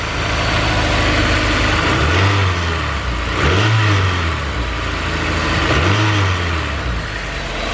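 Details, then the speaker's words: Honda S2000 revving with the belt off: steady metallic rattle like a lifter, present all the time; alternator loose with its bottom bolt missing, noise triggered knock sensor, pulling timing and causing low power. "Still there, it's a vibration. It's all the time now, it almost sounds like a lifter."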